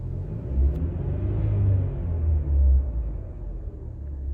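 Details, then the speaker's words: Mercedes-Benz M264 engine after exhaust valve guide replacement on all four cylinders to cure a misfire; fault codes cleared. Two quick throttle blips swell and fall back cleanly to an even rumble; healthy. "好，发动机我们已经组装完了，听一下声音，故障码也已经消失了。好，给2脚油，听一下声浪，非常完美啊。"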